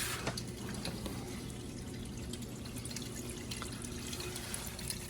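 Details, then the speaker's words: Garage utility sink drain, first test of the P-trap and drain run in the basement below: steady gurgling rush of water with a few drips, no choking or glugging; drain flows freely with no major leak. "I don't see any major leak going here, so as you can hear, the drain is flowing through just fine."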